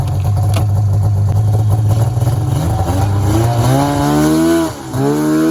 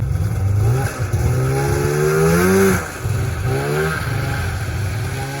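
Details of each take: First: 1994 Polaris Indy 440 two-stroke snowmobile with airbox removed, air screw at spec 3/4 turn: crisp revs climb smoothly onto the pipe with no bog or stumble; normal acceleration onto the powerband. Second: 1994 Polaris Indy 440 two-stroke snowmobile, rebuilt fuel pump, factory airbox reinstalled, cold around 5°C: revs climb then flatten and sag, won't pass 4–5K rpm, idle slightly low; bog, possibly from the reinstalled airbox.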